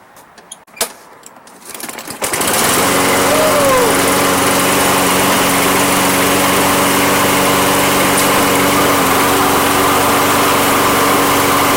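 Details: Toro Recycler mower with a Kohler engine. The complaint was that it died after cutting one strip. After a short crank it catches and settles into a steady, even run with no misses: normal running.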